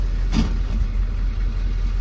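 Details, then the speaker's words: M1028A2 CUCV diesel at idle with new TH400 and NP205 transfer case, rails modified with ORD twin shifters: shifting from rear high to neutral, then front into high gives one solid clunk; normal engagement, then drives in front-wheel drive only. "okay you hear it engaged there so now i'll put my main shifter here into drive and you see we're driving along right now so this is only front wheel drive which is super super cool"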